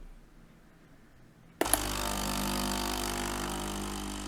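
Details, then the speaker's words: Philips LatteGo coffee machine that had error 11 with three LEDs blinking and was not heating (NTC sensor suspected), tested on hot water: a click, then steady pump hum and water hiss; the heater is working normally. "down properly but you can already see from the steaming water that the heater is heating ok"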